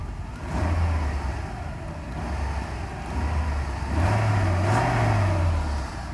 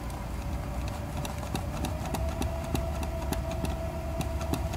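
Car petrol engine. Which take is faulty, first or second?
second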